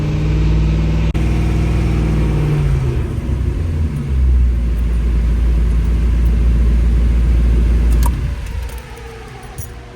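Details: AMC Hornet with a new engine, warm after 30 minutes of break-in at 2000–2700 rpm holding 30 psi oil pressure. Heavy even roar falls to a quiet, steady idle with no knocking or ticking and a quiet valvetrain: running healthy.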